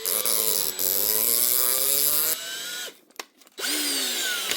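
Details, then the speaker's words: DeWalt DCD780 drill held in a vise and run in low gear to free the chuck; motor whines, stops and spins up with a rough uneven edge; chuck freed up slightly but the ratchet isn't working right, so the chuck needs replacing. "It's actually freed up a we bit there now. But it's still no good because you can hear the ratchet's not working right."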